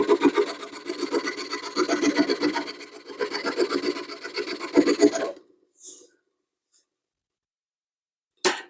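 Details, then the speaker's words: 1941 Craftsman jig saw after teardown, re-tightening and refilling with oil: rhythmic rasping strokes about four per second bite steadily into wood, then stop cleanly; a lot smoother than before, cutting normally. "So let's see what it sounds like. Boy, that's a lot smoother than it was."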